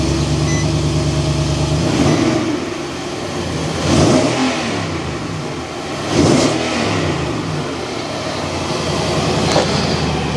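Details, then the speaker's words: Nissan Titan V8 cranked after ECU swap and Consult programming, aimed at the hesitation and shut-off problem: strong even cranking, catches quickly into a firm run with clean rev rises, no misses or knocks; healthy start, still monitored. "you can hear there's a nice strong crank. Everything sounds good."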